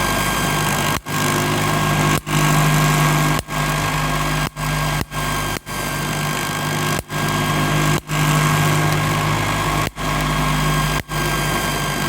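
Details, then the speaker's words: MiniSpark 18 electrostatic machine with 1.233 nF capacitor bank and 1 cm spark gap running: steady motor drone with low buzz and scuffing undertone; non-rigid setup shakes, letting internal parts rub. "that uh that noise there is because this setup here isn't very rigid so it shakes and then internals rub"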